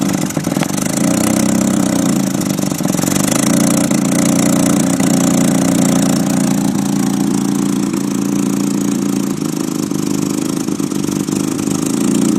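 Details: 1993 Nissan 240SX S13 SR20DET turbo four on jacks, exhaust leak, Godspeed manifold, 3-inch exhaust: uneven idle, low hum wavering and sagging, barely idling; later traced to slight oil overfill while on jacks.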